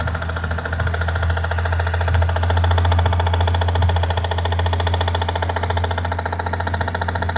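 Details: Toyota 1JZ-GTE VVT-i engine, warm, at idle: sharp regular tapping about three to four times a second over a smooth hum; internal engine knock, source undetermined.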